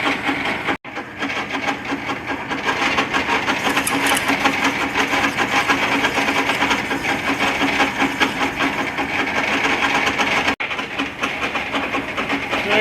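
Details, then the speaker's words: Lathe cutting keeper grooves with a ground carbide tool bit in old titanium Chevy Pro Stock valves for a Hemi funny car engine: busy, even clatter, steady gear whir and cutting chatter; noisy headstock, cause not identified. "maybe you can hear me over this noisy headstock in this lathe took a piece of carbide a little carbide tool bit and ground it to the width I want my keeper Groove"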